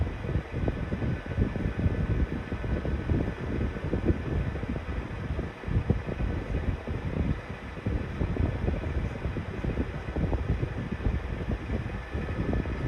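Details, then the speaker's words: 1991-92 Patton 12-inch counterclockwise high-velocity fan on a cold start at low/medium speed, both weak: low hum with an uneven, rough rumble that rises and falls instead of spinning smoothly. Dry motor bearings suspected. "It's kind of making a strange noise, like the bearings could be a little dry."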